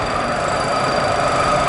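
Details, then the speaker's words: Model cargo-ship propeller in a cavitation tunnel at full water speed: steady rushing hissing roar with faint high whistling tones, noisy cavitation. "we are to the full speed now to speed now speech policy it sounds noisy so maybe we should put on the top line we hear the cavitation and always tears"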